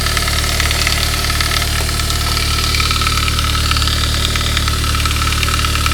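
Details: 1999 Saab 9-3 turbo, 110,000 miles, after head gasket job, cold idle: fast, uneven metallic chatter about two per second, gone after a few minutes; upper timing chain guide replaced to fix; timing chain guide rattle.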